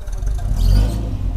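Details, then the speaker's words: Mercedes-Benz M103 engine, being tuned for low idle with AC on, fitted with AMG exhaust tips. Short clean rev swelling and falling back smoothly with a deep, even exhaust note, no rattles or popping; normal exhaust sound. "Tapos yung huling ginawa natin, yung tambucho. If you watch that video, yan, yung AMG tips. Oh, diba? Ito yung tunog."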